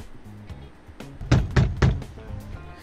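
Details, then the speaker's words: Maruti Suzuki Alto door: three quick hollow knocks, each followed by a loose buzzy rattle, from a loose door trim panel; front door rattles the same, fixed with foam and insulation tape between pad and door. "ഈ സൗണ്ടാണ് ഞാൻ കളയാനായിട്ട് ഉദ്ദേശിക്കുന്നത്. നിങ്ങൾക്ക് കേൾക്കാൻ പറ്റും, ഇതേ sound front ഡോറിലും ഉണ്ട്."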